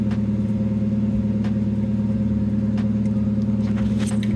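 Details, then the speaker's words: 1990 NA Mazda Miata, OEM exhaust fallen off, running a custom one-off straight pipe with no muffler; loud, harsh, raspy exhaust drone with quick even pulses. "it's quite raspy sounds terrible but honestly the rice are in me actually loves it so I don't want to quiet it down too much but this is what it sounds like"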